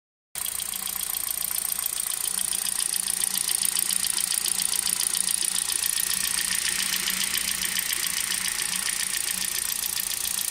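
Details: Hyundai Solaris 1.6 at idle: fast, even metallic ticking over a steady idle. Knock occurs both cold and warm, and the car sounds like a diesel when driving; source not yet identified.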